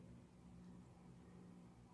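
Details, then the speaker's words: Sicce Syncra Silent 1.0 return pump, newly installed underneath an Innovative Marine Nuvo Fusion Peninsula 14 reef tank in place of the stock pump: a very quiet, steady low hum with flow and no rattle, gurgle or hammering vibration; it runs smoothly. "Okay, so as we can see, we have flow, and yeah, it's pretty quiet."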